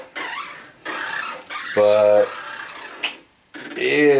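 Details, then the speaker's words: Stamina InMotion E1000 mechanical elliptical trainer with slight rust visible on a bearing: loud squealing, growling groans with each stride, pitch sliding over scraping; a rod is rubbing against the wheel. "pretty objectionable and it's growling"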